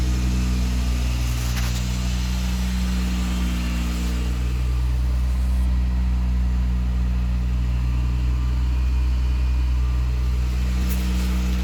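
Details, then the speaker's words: 1977 Toyota Celica RA28 with 1G-GTE engine, first start, intercooler not connected, makeshift pipe: steady deep exhaust rumble at idle with even pulses, smooth, no knocks or clunks; normal idle. "it sounds good it's smooth there's no knocks there's no clunks"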